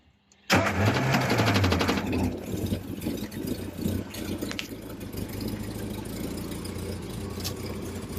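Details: Triumph Spitfire at its first start in 25 years, after the distributor timing was corrected, the carburetor rebuilt and a new fuel pump fitted: it fires immediately, flares for a second or two, then drops into a steady, even idle with no misses.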